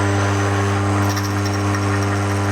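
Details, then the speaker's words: Key machine calibration check: two key blanks clamped and lined up as for a duplicate, then cut. Steady motor hum with only a faint light scrape, removing about half the paint from the blank; machine is in calibration. "And what we're listening for is we want it to be the machine noise with no meat being taken off the key."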